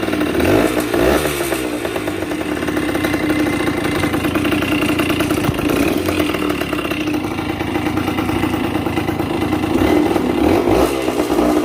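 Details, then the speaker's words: Yamaha 125 two-stroke enduro, first start after sitting, with fresh gas and a fresh spark plug and a little choke: crackly ring-a-ding buzz rising with throttle, then an even idle with no misfire or rattle; running normally. "Ain't nothing sounds like a two-stroke neither. Listen to that dude."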